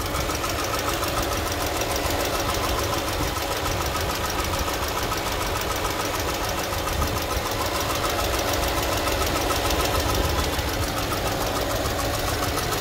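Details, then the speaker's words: 2018 Mercedes-Benz A200 (W176), about 160,000 miles, at idle: sharp, rapid ticking knock about three to four per second, constant over a steady idle; cause not identified. "I don't know if you can hear the knocking sound doesn't sound very good all right can you hear the knocking sound"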